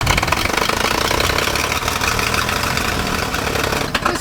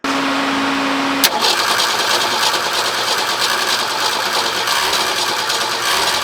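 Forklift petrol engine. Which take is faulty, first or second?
first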